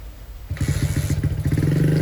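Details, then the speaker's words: Honda CB100-based custom bike with a newly fitted CPO PE 26mm carburetor, still being tuned. The single cylinder catches after a moment and pops unevenly on restart, with an idle that wanders rather than settling. It is hard to restart after stopping; no leak now, cause not yet found. "Cuman memang masih belum normal kayaknya nih. Kita bakal cari tahu ya. Kadang susah lagi kalau misalkan habis mati dihidupin susah lagi nih."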